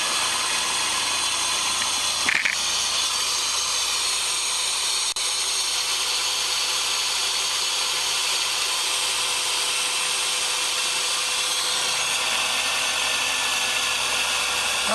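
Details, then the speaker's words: 2006 Dodge Caravan after replacing idler pulley and cracked serpentine belt: smooth steady engine run with even belt hum, no chirp, squeal or rattle; belt runs true, drive healthy. "i'll go fire it up and make sure that the belt's running true and nothing gets hung up or spins off"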